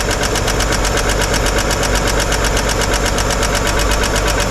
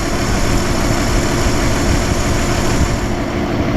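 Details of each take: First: 1955 Chevrolet 210 revived after long storage, valve cover off at idle: fast, fairly even ticking about two a second; a rear hydraulic lifter not getting oil and clattering, its pushrod not spinning properly. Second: 1955 Chevy 210 four-door revived after sitting many years, warmed up, mixture screw adjusted to cure an unsteady idle: steady, even idle with deep regular thrum, no stumbles or dips; smooth idle.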